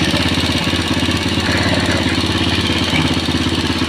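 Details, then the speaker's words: Old motorcycle engine that runs smooth cold but rough after 20–25 km, checked for oil pump function: steady even idle with regular exhaust beat, no top-end ticking or knocking; oil pump and oil passages working properly even when hot. "memang kalau dia langsam suaranya gini guys ya kalau pompa itu bekerja dengan baik"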